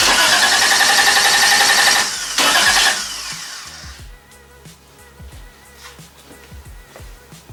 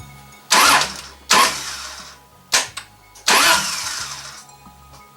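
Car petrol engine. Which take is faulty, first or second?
second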